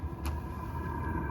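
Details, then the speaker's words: LIKACI portable all-in-one diesel heater, new out of the box, powered from a truck battery, first start: steady low fan rumble with a faint even tone as the burner catches and settles smoothly; normal startup. "now the thing sounds like it's firing up"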